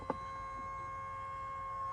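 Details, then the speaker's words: 2003 Mercedes SL55 AMG R230, bought with 78k miles: a steady, transformer-like high whine from all speakers that reacts to the accelerator. The radio had cut in and out with a loud pop; owner suspects a faulty amplifier. "God, sound like a transformer. Oh my gosh. Y'all hear this?"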